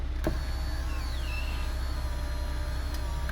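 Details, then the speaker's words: VW Eos power window after the broken, binding window regulator was replaced: a steady motor hum with a drifting whine through the travel; the motor is labouring from overwork and gets extremely hot after two operations, so it needs replacing. "when they start to bind up, the actual motor will start to work harder to move the window up and down until they actually break off like that."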